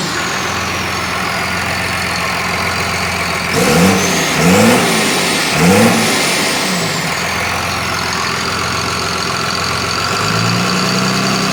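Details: Cummins bus diesel with Allison, revived after sitting outside nearly 3.5 years: steady idle, then three clean throttle blips that rise and fall smoothly and settle evenly; runs healthy, though a stuck gauge is suspected faulty.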